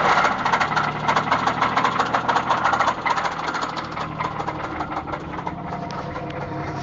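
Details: 2004 Grand Prix GTP Comp G, top-swapped XP-cammed L26 V6 at 1000 km on setup: fires and settles to idle with steady, fast, hard knock in time with the crank; spun rod bearing.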